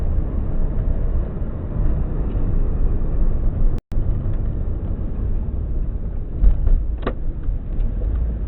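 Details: 2002-03 Subaru WRX EJ205 flat-four, warmed up, deep lumpy idle with uneven pulse and occasional stumbles; cylinder 3 misfire, no ticking, spark plug ruled out, engine shakes; supposedly a cracked valve.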